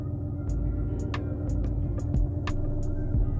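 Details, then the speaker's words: 2006 Mercedes-Benz E350, M272 3.5L V6, start then idle: uneven, shaky idle with lumpy beat and irregular pulses, check engine light flashing, vibration felt at steering wheel; codes P0300/P0305 cylinder 5 misfire, system too rich at idle. "that is the cylinder 5 misfire that I'm talking about um The Knocks in the engine are creating an irregular um combustion cycle for the engine"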